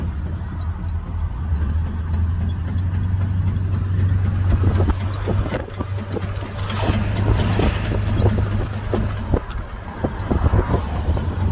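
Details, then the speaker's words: 2000 Ford F-250: low idle drone then sharp hollow clunks about two per second, slightly uneven; owner believes not the engine but a U-joint, transfer case or possibly ring gear. "not the engine it's got to be a u-joint or a transfer case or hopefully not a ring"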